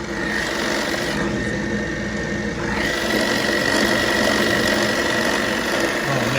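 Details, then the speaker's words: 1940s RCA 16mm movie projector after fitting a replacement spring drive belt from another model and greasing gears: even mechanical chatter about three beats a second with a faint steady whir, running forward smoothly and normally. "it sounds good girl's turning right oh man that's a success guys"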